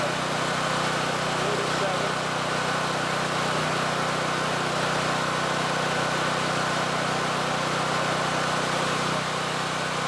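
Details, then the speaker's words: Free, barely used generator said by its previous owner to be broken, on old fuel with choke on, started on the first pull: steady even drone at constant speed with no knocks, misses or surging; small engine running cleanly. "god damn started up on the first freaking pull are you kidding me even if even if the generator head is total crap this is a huge win unbelievable"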